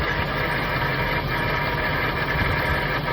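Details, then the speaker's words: Jaguar XK8 V8 idles steadily with a fast, dry metallic rattle at the front of the engine; owner first suspected the torque converter, now suspects the A/C compressor pulley/clutch, with power steering pump or idler pulley also considered, unconfirmed. "But I just went through the video I did yesterday and put it all together, and I still think the AC compressor pulley is making that noise, that rattle."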